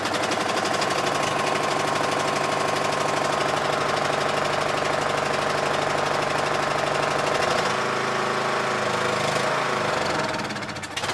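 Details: Yard Machines MTD lawn tractor, 20hp Briggs single-cylinder OHV, first start after magneto bypass for no-spark no-start; steady, even thrum at constant speed, no misses or knocks: normal running.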